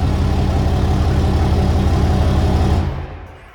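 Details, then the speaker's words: 2017 Ram 3500 Laramie Longhorn Megacab diesel, straight-piped and tuned: deep loud rumble with steady low beat and fast throttle blips falling away cleanly; healthy straight-piped diesel. "Now this particular Ram has been straight piped and tuned, so the numbers are actually even higher, and I think it sounds pretty good."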